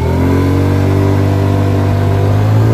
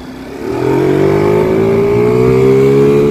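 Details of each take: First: Chinese 50cc scooter engine with stock CVT variator, wide-open throttle from a dead stop before modification: engine note stays low and climbs only slowly; slow low-RPM takeoff from stock CVT gearing. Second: Chinese 50cc ScootSled scooter engine after CVT tuning to three 6.5 g variator rollers, riding; pulls hard as the power band kicks in. Note climbs quickly then holds a strong steady high pitch; normal strong acceleration.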